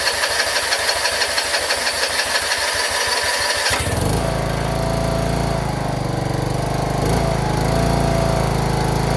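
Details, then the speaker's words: John Deere RX75 rear-engine riding mower after replacing ignition switch and reassembly, first start with choke in neutral: starter cranks in quick even chugs a few seconds, catches, settles into steady even idle; runs well. "Replace the ignition switch, put the cowling back on, started right up."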